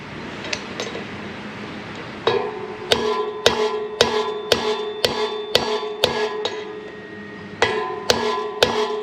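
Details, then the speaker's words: Harley Softail front 21-inch wheel, new Timken bearing race being driven into the hub: steady hammer blows about two a second ring sharp and metallic, then dull to a thud as the race bottoms out, showing it is fully seated. "You hear that change in tone? That means we're bottomed out."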